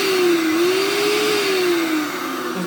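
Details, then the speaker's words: Hoover Turbopower 2 U2090 001 vacuum, circa 2002-2003: motor whine wavers up and down over rushing airflow and smells slightly smoky; owner suspects dry motor bearings or the motor burning out, unconfirmed. "whether the motors actually burning out there I'm not too sure it sounds like it could be burning out on second thought"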